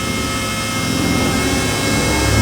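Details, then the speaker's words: Nissan 350Z twin turbo loaded against the handbrake in a low gear, rev limit 5,000 rpm: rising roar with a steady high whistle as boost builds cleanly, blow-off valve heard; now making boost. "but yeah we're making boost now we are making boost"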